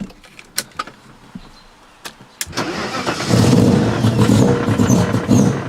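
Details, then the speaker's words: V8-swapped BMW E30 after a rally, idle control valve already cleaned, blowing heavy smoke, running rich: V8 catches after quiet clicks and runs rough and uneven on throttle; dies instantly when clutch pushed in or throttle released. "you push the clutch in it just dies like instantly"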